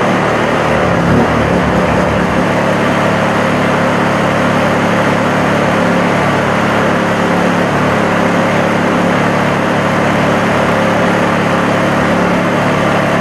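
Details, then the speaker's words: Honda EU2000 inverter generator after the over-drilled carburetor jet was reworked and its hole opened up: steady, even drone with a constant low hum and no surging; running much better, though it may have a few other issues. "it's definitely running a lot better it's probably got a few more issues but you know that ain't the point of the video"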